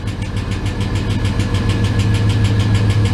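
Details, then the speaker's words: GMT400 Chevy V8 after a long cranking no-start on old gasoline, ATF added to oil: sharp, steady top-end lifter tick at idle, worse at startup, traced to worn cam lobe/lifter on #3 intake; no rod-knock clunk at shutoff. "sounds exactly like when i had a loose rocker when you turn it off too you don't get the clunk clunk clunk like a rod knock"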